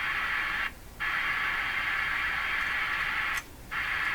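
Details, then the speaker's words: National HRO-500 communications receiver: steady hissy audio cuts out completely twice for about a third of a second, with pops at start and stop; scope shows no change at this stage, so the fault lies further along; intermittent dropout, possibly a failing component or touchy contact. "so when the sound goes out the uh scope the scope uh doesn't the scope shows the same thing the problem's got to be Beyond here"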